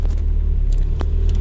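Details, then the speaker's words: Mitsubishi Lancer "Hotdog" after battery replacement, sat several weeks: steady low rumble right after cranking, no stumble or misfire; clean start. "So nag-start na siya. So ayan, okay. So ayan, the engine is running already."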